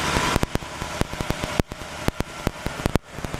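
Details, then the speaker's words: 1960 Pontiac Catalina barn find, 10.5:1 compression on premium fuel, warming up at fast idle: sharp uneven ticking, several per second; slight valve lifter noise, louder on one side. "Alright, the engine's on this fast idle. You can hear a little bit of lifter noise. I think this side it's a little louder."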